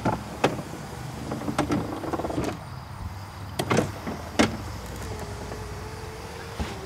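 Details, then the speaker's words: 1995 Cadillac Fleetwood driver's door window regulator, repaired with one slider and one roller: scattered clicks and scraping creaks as the window lowers. "this one here has a broken I believe has a broken slider or starting to break or I think it's just sticking because when you put the window down it makes a lot of click sound like that"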